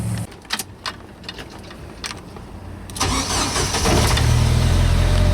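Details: Jeep Wrangler YJ that died while driving, after a new crank sensor and a new ignition coil (the coil was the fault): brief cranking clicks, then catches and settles into a steady, even idle; normal start.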